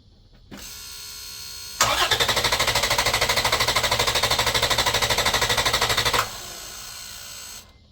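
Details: 2011 Toyota Tacoma 4.0L V6 cranked on a Buture Beta07 jump pack alone, without the main battery, with the ECM relay pulled so it cannot start; strong, even cranking at about three beats a second that never catches.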